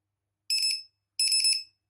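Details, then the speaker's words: RC battery tester/cell checker connected to a 2-cell pack (8.11 V total, 4.05 and 4.04 V per cell), negative to black wire: two short, shrill electronic beeps about half a second apart; checker working normally. "เราก็เหมือนเดิมครับด้านที่เป็นลบนะฮะก็จิ้มกับสายสีดำนะครับนี่นะฮะมันจะมีเสียงนะฮะ"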